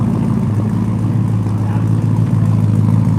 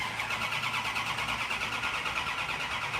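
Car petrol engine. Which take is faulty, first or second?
second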